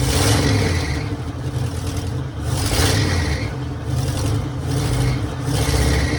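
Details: 1966 Mercury Monterey big-block Ford V8 after a fuel leak fix and carburettor adjustment; deep, even rumble swelling with throttle blips and settling back cleanly, no misses, "running like a top"; normal running.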